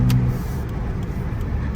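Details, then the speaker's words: Saturn car driving at about 50 after replacing outer CV axle boot: smooth even road and engine rumble, no clicking or clacking; normal CV axle while driving. "oh yeah that's that's that's way good that was 50 no clicky clacky everything Staying Together We rocking and rolling"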